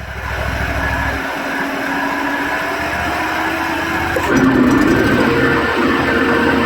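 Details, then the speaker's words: Bobcat commercial mower, warmed up, blades engaged after replacing the noisy middle blade spindle (bad bearing): fairly even hum with a faint leftover whir from the other two spindles; much quieter and healthy. "Oh, that's much better. That's a lot better. Still got some noise from the other two, but the middle one was the main culprit."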